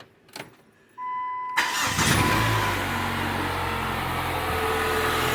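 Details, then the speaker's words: 2007 PT Cruiser after replacing four spark plugs (pre-gapped), plug wires and coil pack: short crank, quick catch, then smooth even idle with no stumble or miss; starts quicker and runs smoother after overdue tune-up. "well I ain't got started a lot quicker I think the engine sounds smoother I think that was a tune-up that was way overdue"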